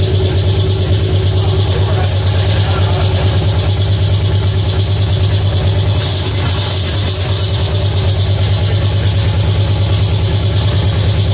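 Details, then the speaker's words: Pontiac 350 V8 in a 1950 Pontiac gasser with 6-speed, first run, timing near 8 degrees, steam from moisture: deep, fast, even high idle that never settles; choke stuck on, oil pressure not reaching 50 psi. "So, under RPM, under RPM, it should have 160. That was on a high idle."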